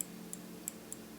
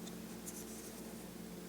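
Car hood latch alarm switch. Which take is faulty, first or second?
second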